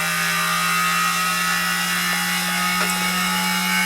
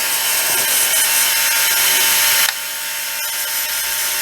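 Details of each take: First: Soviet Peleng 1240GS gyroscope-stabilized binoculars, gyro powered at about 12 V from three lithium cells. Steady high whirring hum with a rough, hissy edge at full speed; the bearings sound worn but it still works. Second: Peleng 1240GS gyro-stabilized binoculars, brushed gyro motor at 12 V, settled near 4 W and 300 mA at about 18,200 rpm: thin, steady high whir, loud, no wobble or rubbing; running healthy.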